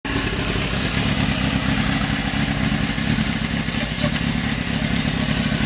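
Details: Suzuki GSX-R K1: steady engine with a light buzzy rattle over it from the loose right-side crash cap; noise disappeared after spraying it with WD-40.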